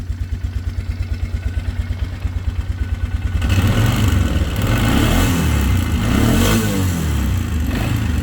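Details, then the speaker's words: 2013 Polaris Sportsman 500 HO, first start after sitting, with a fresh battery and choke: steady cranking, then it catches and settles into an even single-cylinder idle with no misfires or rattles. It sounds healthy, with a little steam and no smoke. "I mean it sounds healthy sounds like a Polaris to me not too bad"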